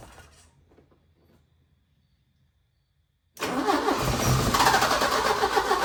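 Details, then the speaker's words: 1980 Porsche 924 Turbo, sat an estimated 2–3 years, new fuel filter, starting fluid sprayed into the intake: a sudden burst of cranking and sputtering that fails to catch. Cranks but won't stay running; owner plans to clean the injectors. "All right, we're gonna give her one more shot, and if it doesn't catch, then tomorrow I'm going to clean the fuel injectors and we shall see what happens."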